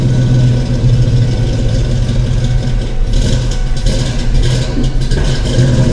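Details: Ford 5.0 small-block V8 Foxbody Mustang, rebuilt Kenne Bell 2.1L supercharger, 42 lb injectors, bigger MAF, first start, throttle fed in: lumpy, stumbling lope; cylinders 2 and 4 cold, possibly two cylinders dead.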